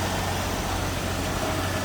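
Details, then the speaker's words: 1975 AMC Matador sedan, 258 cubic inch inline six, warmed up at low idle with the hood open: ticking over low and even, a steady smooth rumble with no knocks, misses or hunting. A healthy idle. "All right, there's a good look at the underside of the hood and the 258 cubic inch engine. Now it has warmed up, so we're on low idle."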